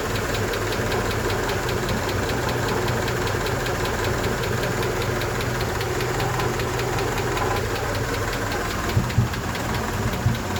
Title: help me ticking noise honda 88